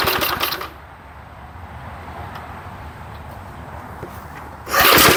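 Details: 1975 Murphy's 20-inch push mower with an old 3 hp Briggs and Stratton engine, first run after long storage in a shed: faint even single-cylinder putter, steady under louder bursts at either end; running smoothly.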